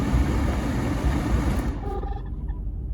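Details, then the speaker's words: 1993 Jeep Cherokee XJ 4.0L six, heater blower on high (lower settings give no air): rough, warbling whir that drops away partway through; old, previously greased blower motor is noisy and worn, due for replacement. "so this is the the air blower controller it's low but nothing is coming if it's high it's working"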